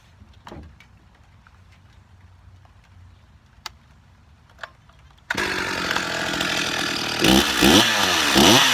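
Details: Stihl MS361 chainsaw with new aftermarket cylinder and piston, 28-inch bar and full-comp RS chain, first start-up on a tailgate: quiet, then fires into a high, steady buzz and revs cleanly without stumbling; running normally.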